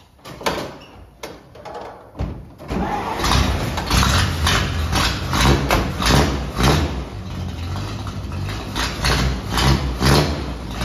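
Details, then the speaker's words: 1948 Dodge Power Wagon, barn-fresh and first got running two days earlier. A few uneven cranking bursts, then it catches and settles into a lumpy but steady idle: a normal cold start. "the Fantastic cold start you just heard comes courtesy of my 1948 Dodge Power Wagon I got this thing running two days ago runs surprisingly w"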